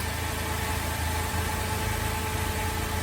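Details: Holden VZ Adventra Alloytec V6 at idle after replacing the failed ignition coil pack: an even, smooth, steady low hum with no stumble; the misfire is fixed and the engine sounds healthy.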